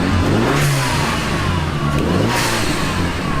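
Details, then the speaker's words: Abandoned hot hatch, sat for four years, started with a modified key card: the engine catches and revs cleanly, rising and falling smoothly with no knocks or misses, then settles steady. Normal running. "it actually sounds right yeah sounds fine as if thought it sounded like that the first time it started"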